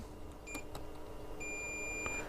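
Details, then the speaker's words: Bush DAC90A valve radio, multimeter in continuity (beeper) mode checking mains wiring, live also reaching the dropper: a short then a long steady high beep over quiet room hum confirm a good connection. "Let's just put that in beeper so you can hear it beeping. We should also be going to the dropper, which it is."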